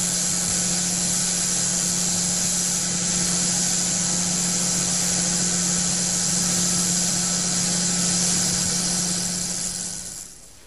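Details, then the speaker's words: SKF 60309 ball bearing running with ordinary cigarette ash blown in, heard via SKF TMST3 electronic stethoscope: harsh gritty hiss and crackle over steady low hum from contamination. "let us listen while ordinary cigarette ash is being blown into the 60309 bearing"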